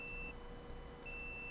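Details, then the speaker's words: Dead Toshiba 1 TB laptop hard drive not detected in BIOS: steady high-pitched multimeter continuity beep as the probes touch a suspect capacitor on the controller board, a dead short; the failed capacitor is replaced. "beeping. So that is the bad components."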